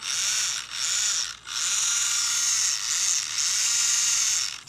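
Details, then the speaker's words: 1/24 scale brushless Speck SCT RC short course truck driven off-road; high buzzy gear whir surging with throttle. Owner suspects damaged plastic gear after twigs jammed drivetrain, unconfirmed. Finding: drivetrain gear noise. "Might have damaged one of the plastic gears by being out here off-road, because it still has a weird drivetrain noise."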